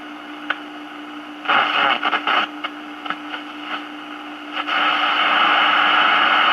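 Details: 1946 Val-Keen/Detrola 572 six-tube radio with tuned RF stage, chassis out, AM band. Tuning sweeps through hiss and short bursts, then settles on a loud steady station with no hum. Normal reception.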